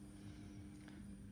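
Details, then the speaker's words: ESBE MBA132 3-port diverter valve with an MBA100 actuator, plugged into 230 V with live and neutral only. A quiet, steady low hum with no grinding or clicking as the head starts to rotate: normal actuator motor hum. "If I plug it in, you can hear the head humming away, and you can see that starting to rotate."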